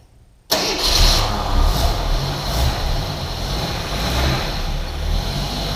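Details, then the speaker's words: 1981 AMC Eagle sedan after distributor work, idling better: cranks and catches at once, then slightly uneven lumpy idle with wavering low rumble; still rough but much improved. "not perfect but it's getting a lot better"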